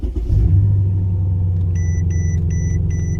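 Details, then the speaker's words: Mercedes-Benz CL550 first startup after about 3 weeks in the shop for a no-start, not the battery: quick crank catches at once into smooth, even low idle rumble with dash chimes; healthy start. "Whoa, and there it is. Started right on up. It's crazy."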